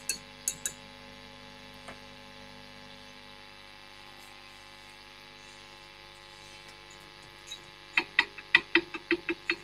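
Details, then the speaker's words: Marshall Kerry King signature valve amp, tapping preamp valves with a chopstick (audio boosted): quiet hiss then sharp ringing metallic pings after each tap; three preamp valves microphonic, to be replaced with low-noise, low-microphony valves such as a 7025 in V1. "valve that one's microphonic that one's microphonic and that one's microphonic so we've got three very very noisy preamp valves"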